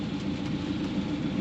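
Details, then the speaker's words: John Deere 135C excavator, Isuzu diesel, about 10,500 hours, first start of day at about 40°F: starts well, smooth even diesel idle with steady low throb, no knocks or misses; normal idle. "So we can do a little startup for you guys. She starts pretty good. And sounds pretty darn good too."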